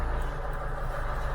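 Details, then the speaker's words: Mk3 Ford Cortina idling with one cylinder deliberately knocked out by a 1963 Crypton Motorscope ignition analyser: lumpy, uneven pulse with a missing beat each cycle, running on three cylinders. "you can hear that's running out on three cylinders and you lose the trace"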